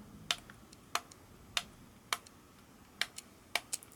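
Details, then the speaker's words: Egg Shell Mini Racer tiny RC car, after a trim dial adjustment: sharp, uneven ticks, about seven in four seconds, with no motor whir; the steering servo clicks but no longer turns either way. "I can hear the servo clicking but now both now both of them don't work"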